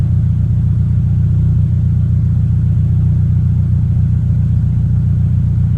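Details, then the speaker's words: 2023 Toyota GR86 just after installing an aftermarket exhaust (transcribed "NVIDIA 1") in place of OEM, heard on its first start after install. Deep, steady low rumble with no raspy edge, rattle or blowing leak. Normal, healthy exhaust note. "I mean, it's like night and day from stock, and yeah, I like the sound of it a lot. I like that real deep tone. I'm not into the raspy stuff,"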